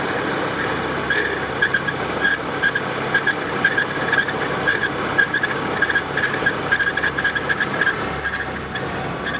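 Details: 1993 Volvo 850 at idle: a sharp high chirp about twice a second over the engine hum, most likely a bad idler or timing-belt tensioner pulley; cause suspected, not confirmed.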